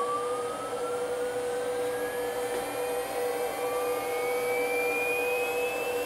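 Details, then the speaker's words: First ramp-up of a new 110 V 1.5 kW water-cooled 65 mm spindle on a Huanyang inverter, cooling not hooked up, settings untouched: clean high whine climbing steadily in pitch over a hum, no grinding or rattle; normal. "So I don't know if that was its full capacity, but even if it was, I would not be that disappointed given the fact that this is 110 volt, not 220."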